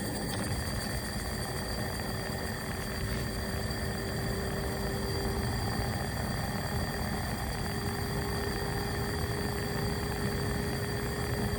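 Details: AC Infinity Cloudline 4-inch inline fan (Air Filtration PRO Kit), between one and two years old, with the carbon filter removed: steady drone with fixed tones and even hiss, no speed change; buzzing noticed for months, cause unclear.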